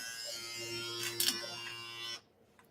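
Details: Andis Phenom clipper after blade adjustment so the cutting blade is not overbiting the steel blade; steady, even buzz for about two seconds, then switches off, running normally with no rattle.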